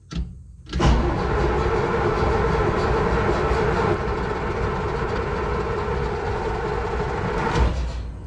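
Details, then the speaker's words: Case 170B excavator Deutz diesel after turbo and exhaust overhaul, cranked with the stop lever pulled so it cannot start, to lubricate the turbo and build oil pressure: about seven seconds of steady starter churning, no firing; batteries possibly weak. "so I'm going to crank this thing for a good while I want to make sure it has plenty of time to uh lubricate the turbo"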